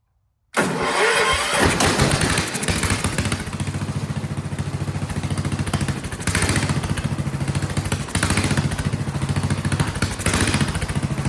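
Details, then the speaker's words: Vintage Kohler motorhome generator, flathead engine (guessed 400–500 cc), after removing the spring under the carburetor float, running a shop vac as load: loud thumping settles into even beat, load stops the surging, though it still surges a bit otherwise. "I'm gonna put some load on it. And then it seems to also, that makes it stop surging, it seems. It is loud though."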